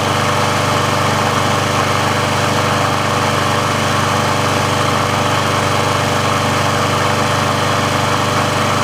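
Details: Briggs & Stratton engine on a Sears Craftsman mower after service/repair, warm with the auto choke open: even, steady single-cylinder drone with no misses, surges or rattles. The auto choke works as it should, so running is normal.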